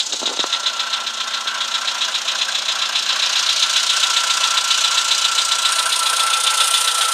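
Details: VW Polo Sedan with CFNA engine, knock when cold: quick, even metallic ticking about three to four times a second at cold idle; origin unclear.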